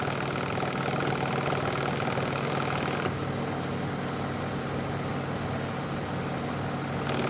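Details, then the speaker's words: Bosch WAE24364GB washing machine running a wash after its motor was replaced: a steady, even hum from the drum motor with no knocking, grinding or scraping. The heating element no longer trips. The motor was the fault and it now runs normally. "It's not bad noise of the fan, so it's perfectly good. Happy with that. So, it was the motor after all then."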